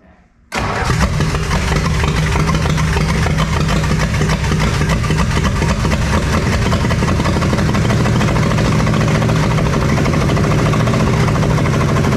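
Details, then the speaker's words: 1966 Plymouth Fury III with swapped engine, 62K miles on odometer, fed by temporary fuel supply: cranks, catches, rough lumpy idle with uneven low beat; sounds like it's missing, misfire at idle. "All right, it's picking up fuel. Okay, try it again. Oh, give it a little gas. Thanks so much. It sounds like it's missing."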